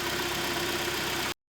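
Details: Kia Sorento G4KE on LPG, checked for a suspected piston knock and high oil consumption: a short stretch of even, quiet idle with a steady hum and no knocking, even cold; it idles cleanly.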